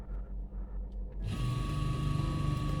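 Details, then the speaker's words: Singer washing machine spin motor after repair (capacitor wiring reconnected), previously only humming without turning; now kicks in after a second to steady even hum with faint high whine, no grinding, spinning normally. "වැඩේ සාර්ථකයි යාළුවනේ. ඉතින් මේක කැලකුන්නේ නැහැ කලින් හම් කරා විතරයි."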